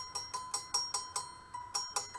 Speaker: I tighten it up as best I can, and I listen for the tone. A little tighter. Yeah, see that high C?